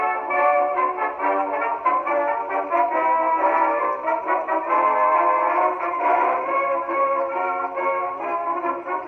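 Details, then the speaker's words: 1919 Victor Victrola VV-IV after overhaul (new governor assembly, main spring and spring drum, rebuilt Exhibition reproducer): a brass band record plays clear at steady speed with no wavering pitch, rumble or scratchiness. Normal playback. "That also played very well. Another keeper."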